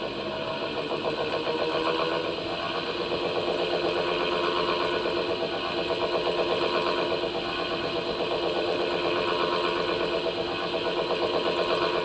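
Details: Washing machine: steady, even chatter about four a second over a thin mechanical hum; abnormal rattle, cause suspected but not confirmed (belt off or motor replacement mentioned).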